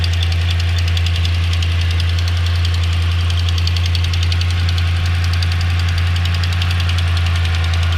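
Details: 2009 Dodge Ram Hemi V8 idling with deep hum and quick light ticking, louder on passenger side, quieter once warm; owner unsure if normal Hemi tick or exhaust leak.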